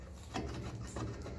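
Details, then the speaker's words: 1957 Ferguson 35 TVO tractor brake shoes after greasing: only soft low rubbing as the shoes move, earlier screeching gone; shoes slide freely and quietly. "and that uh screeching sound is gone because the grease"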